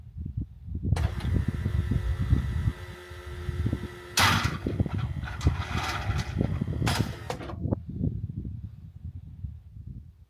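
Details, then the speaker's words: Ultima GTR with LS V8, started in neutral after the AC compressor drive was removed to cure a clutch pulley rattle: lumpy low pulsing with harsh rasping bursts at start-up that come and go; abnormal noise, cause undetermined. "It's just that noise when it starts is just not good."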